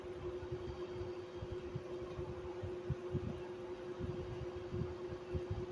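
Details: 1995 Whirlpool-built Chambers 5000 BTU window air conditioner (model BPAC0500AS2), non-PSC induction fan motor, R22, on medium: steady hum and slight whine with rough, irregular rumbling under the compressor drone; extremely worn fan motor bearings.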